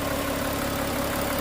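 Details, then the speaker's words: Volkswagen Touareg V6 TDI diesel after no-start with P0087 low fuel rail pressure, running again after new injector fitted and coded: steady, even idle with smooth low rumble, no misses, knocks or hunting; no fault codes remain. "Ayan so k kita niyo umaandar na ulit siya Nabuhay na siya ng mga na-stock din ito ng mga ilang linggo kasi yung parts hindi pa dumating matagal so at least umandar na siya ngayon"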